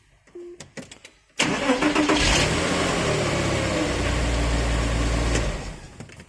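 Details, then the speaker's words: Porsche Boxster 986, on starting after a fuel pump and sender replacement: the engine catches, but a steady high whirring grind continues because a sticky starter solenoid fails to release the pinion gear; starter pinion not disengaging. "but before I start the car but actually starter motor was sticky so the solenoid didn't release the actual starter motor the pinion gear so it's actually hitting in the pinion gear so sticky solenoids"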